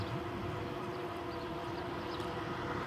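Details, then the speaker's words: E-bike (Euphree City Robin X) riding on pavement: steady mid-pitched buzz over rolling hiss, rider suspects metal fenders vibrating as wheels roll; suggests plastic fenders would fix it. "you hear that little buzzing that's that's the uh that's the fenders buzzing yeah I think what happens is the vibration um you know when your wheels and everything are moving along and just makes it Buzz"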